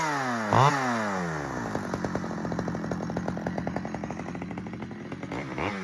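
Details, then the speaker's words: Stihl 009L two-stroke chainsaw after fuel line and oiler repair: revs up crisply then settles into a steady, even buzz with no misfire or bogging; running well. "That's good news. It runs and it runs really good actually."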